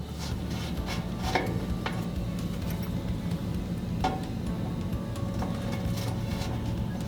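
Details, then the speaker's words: Grout Hog machine after installing and programming a new wireless remote receiver: a few sharp dry relay clicks over a steady low hum as forward and reverse switch, showing the receiver works normally. "i hear the clicking noise in the back that tells me that it is working for in reverse"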